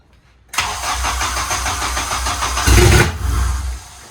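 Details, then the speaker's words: Honda JDM K24A engine's first start after fixing a MAP sensor power wire shorted to ground, which had put the ECU in protect mode; coolant line not yet connected. Starter catches, fires straight up, flares briefly, then settles into a steady, even idle. Normal start, sounds healthy. "Yeah, sounds good though. Sounds healthy."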